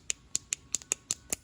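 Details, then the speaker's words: Two-stroke Mantis tiller that won't start after sitting about a year, carburetor metering diaphragm flexed by hand: dry crisp crinkling clicks show it has gone stiff and can't flutter with the high engine rpm. "okay you hear all that crinkling this is supposed to be able to flutter with engine RPM in engine RPM on these things is very high so any stiffness like this causes lots of problems so that's the first problem"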